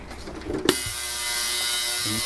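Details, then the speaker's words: Roughly 3-litre heated ultrasonic cleaner, plain water, cleaning Honda Ruckus stock carburetor parts: after a sharp switch-on, a loud even hiss with a steady high buzz runs unchanged; the cleaner is working normally. "i'm just gonna throw the pieces in here uh you can kind of hear what it sounds like"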